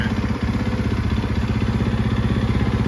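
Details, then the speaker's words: 2013 Yamaha YZ450F after rebuild, in first gear with clutch lever released: even single-cylinder thumping at about four beats a second that dips slightly as light throttle is added; Rekluse auto clutch engages smoothly, normal. "I give it just a little bit of gas. See how it engages? That's that Recluse clutch that I put in there."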